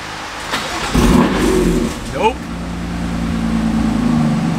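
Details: 600hp 2018 BMW M3, 6-speed manual, on the lift after tightening a loose exhaust bolt: brief rev, then a smooth, even idle with no tinny rattle over the exhaust. Normal idle, rattle fixed.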